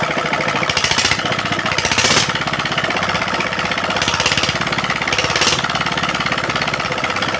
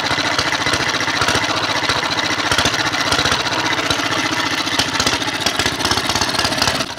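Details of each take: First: Single-cylinder diesel that had throttle rising by itself and smoking despite new nozzle, now after repair: even regular clatter at steady speed, no high-pitched whine, smoke gone; running stable and normal. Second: Diesel engine whose revs climb on their own and won't drop back without throttle, even with recently replaced injector nozzles. Hard, uneven racing thump stays high and won't settle to idle, with heavy smoke: runaway.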